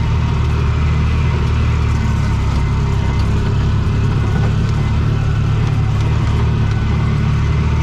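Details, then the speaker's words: Bobcat 3400XL (rebadged Polaris Ranger 500, circa 2010–13), single-cylinder fuel-injected Polaris 500, after rigging a spare fuel pump: 40 psi fuel pressure, deep steady even drone at full throttle, no stumbling or surging, pulls cleanly. "well that fixed it so just happen to have a fuel pump left over from another project just kind of happened to be able to kind of rig it up where it worked and now we've got good 40 pounds of fuel pressure throttle works on the floor life is good"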